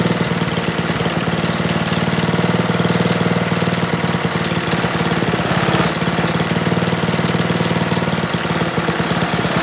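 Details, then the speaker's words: Briggs & Stratton snowblower engine after camshaft replacement for a broken decompression lever, fuel shut off to run dry: a steady, fast single-cylinder chug at about four beats a second with no knocks; normal running. "I turned the gas off so it run out of gas hey that sounds pretty good to me"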